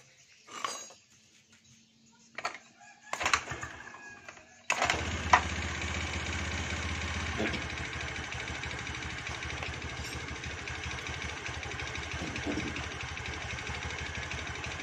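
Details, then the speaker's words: Kick-started automatic scooter at idle in neutral: loud, slightly irregular knocking tick that disappears when revved; noise located in the engine, not the CVT side, exact cause not confirmed. "masih bunyi yalur ya masih bunyi keras tuh sangat etek etek etek etek etek tapi kalau digas berarti belajar itu hilang"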